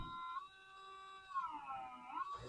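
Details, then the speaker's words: Pioneer CLD-97 LaserDisc player at power-on, before repair: steady whining tones sliding up and down in pitch as the pickup hunts nonstop; failed IC804 (LA6510) on the main board, whose replacement stopped the noise. "And there's just constant noise of laser movement."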